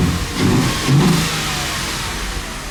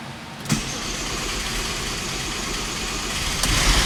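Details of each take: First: Audi engine just reinstalled after the car sat 2 years, oil topped up after low oil pressure on first start, no coolant yet: starts right up, climbs cleanly through two quick blips, then a smooth even idle with no knocks or rattles; normal revving. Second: Audi with a freshly installed engine after two years sitting, first start with very low oil (about 5 of 8 quarts) and almost no oil pressure: cranks and catches, then a fast steady idle with a loud hiss on top; a rough, worrying first start.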